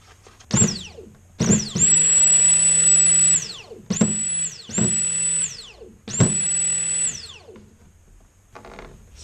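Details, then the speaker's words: New 340 electric fuel pump compared with the older pump from a car run three months on E85: short bursts of steady high whine, the old one slightly grittier from debris; both pumps working normally. "about the same I think the the older one obviously sounds like it's a little grittier and probably from the crud that I got stuck in there but they both sound similar so we're gonna say that this guy is good"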